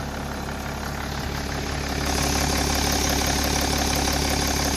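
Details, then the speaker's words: BMW M57 diesel with the oil filler cap and then the dipstick removed, idling evenly with a light steady tick from the vacuum pump, which is normal on the M57. The filler cap only lifts slightly, and there is no slurping, so the crankcase breather is working normally. "To cykanie pochodzi z pompy Vacum, ono jest normalne w M57"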